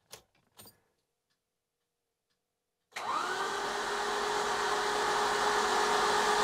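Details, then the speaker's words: Citroën XM 3.0 24V barn find, first attempt to turn over after 20 years with cylinders oiled beforehand: steady whirring spin rising slightly in pitch; engine spins over freely, starter works despite being suspected bad. "ah that sounds just fine so the car spins over freely that's nice"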